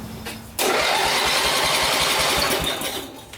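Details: Homelite-Jacobsen rider after fried electrical system repair: brief crank, then catches cleanly and settles into a fast, even putter; normal start. Engine said to vibrate a lot.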